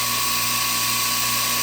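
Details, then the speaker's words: California Air Tools 10020C compressor, about 50 hours of use, first startup building pressure: steady high hum, constant tone, no knocking or rattle; much quieter than a pancake compressor; owner notes one odd noise and a missing cover screw. "it's a lot quieter than that old pancake over there. That thing is super loud."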